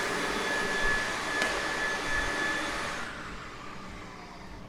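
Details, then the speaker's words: Ampak Thrifty Pack TP1824 skin packaging machine vacuum cycle: steady vacuum turbine roar with sharp popping, meaning vacuum set too high and pulling through/breaking the film. "now you will note in the vacuum cycle you heard the popping sounds that's a good indicator that the vacuum has been turned up too high so it's actually pulling vacuum through the film and breaks through the film which you don't want"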